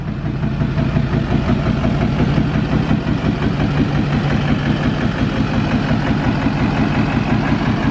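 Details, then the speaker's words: Duramax diesel truck after Lucas fuel system treatment, previously smoking at idle: steady low rumble with an even beat and no misses or knocks; now idling smoothly with no smoke, though owner thinks it still needs new injectors. "But I don't know, it just how idle and sound good as fuck right now."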